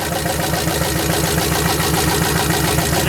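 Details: Sludged turbo LS V8 in a rear-wheel-drive 1990 Ford Festiva, run on detergent before an oil change: loud clattering tick of about three to four beats a second over a rough idle, a sharp metallic internal knock. Water and a fuel leak were also seen; cause suspected, not confirmed.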